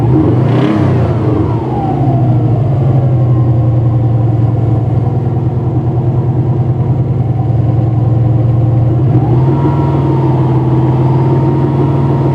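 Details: Subaru EJ205 cold start: two throttle blips, then rough rapid tapping under idle about three per second; owner suspects bearing knock, unconfirmed. Cold oil pressure nearly 6, warm pressure dropped from 1.9 to 1.6–1.7.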